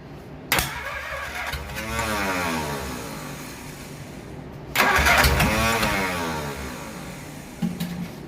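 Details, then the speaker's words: Replacement engine for 1947 Plymouth Special, sat since 1975: two long bursts of fast even cranking, only odd pops, no catch or compression; valves stuck open from carbon on valves and seats, confirmed after head removal. "well it's at this point in the video we realized that the head had to come off that we most likely had some valves staying open stuck and we did"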